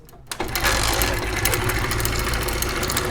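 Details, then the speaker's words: Motorcycle engine running: fast, loud metallic clatter over the engine, described as very dangerous and having caused heavy damage to the bike; timing chain rattle. "तो दोस्तों आपने आवाज देखी कितनी ज्यादा खतरनाक है आवाज तो खतरनाक थी लेकिन आवाज ने अपना काम भी कर दिया और बाइक का बहुत नुकसान भी हो गया"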